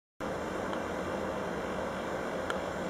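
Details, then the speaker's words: Sports club building ventilation recorded at 23:00 at night in May 2015, running at full power: loud constant rushing air with a steady hum and faint whistling. "Вентиляция Спортлайфа работает на полную мощность."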